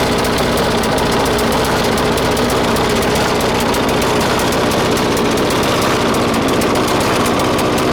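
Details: 1996 Murray 20-inch mower, 4 HP Briggs & Stratton, cold start at 3°C after 10 months sitting, bad primer bulb. It runs loud and ragged with an uneven hunting beat: lean, not getting enough fuel. A different spring was fitted to raise idle; it may need spring adjustment.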